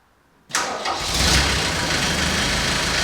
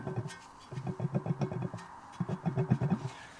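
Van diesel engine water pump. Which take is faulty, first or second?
second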